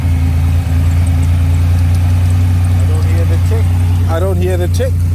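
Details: 1980s turbo Buick barn find idling after hard restarting: a loud, even idle with a deep steady rumble. The earlier tick is no longer heard and it runs smoothly, though it later shut off by itself.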